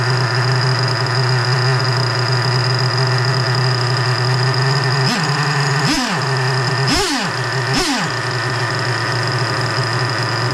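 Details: Freshly rebuilt 3.3 engine with new bearings, after carburetor mixture screw backed out half a turn: steady idle hum, then quick throttle blips that fall back and hold; still won't idle reliably, just starting to settle.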